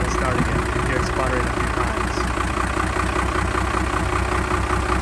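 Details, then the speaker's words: Cummins-swapped truck not run or driven for over a year: diesel idles unevenly, chugging and sagging as if about to stall, revs wandering, runs a while then dies; rough surging idle, cause not confirmed. "This always sounds like it's wanting to die. Let it idle for a while, but it's probably gonna die. This is the issue I've been having."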